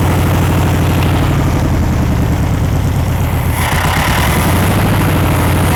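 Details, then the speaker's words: 1960s VW Beetle 1500 air-cooled flat-four petrol, unstarted since 1973, 8000 miles, after over 20 minutes running: steady even low-pitched drone idling smoothly with no knocks or misses; oil light out, oil clean, healthy. "so it's um it's now quite Apple even sat here taking over 20 minutes oil lights out perfect"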